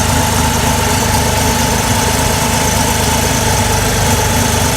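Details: Mazda RX-7 rotary with a rewelded header, first start after battery charging and a fix to the no-start: steady, even high idle at about 1500 rpm with a constant buzzy hum and no misses or knocks; running healthy.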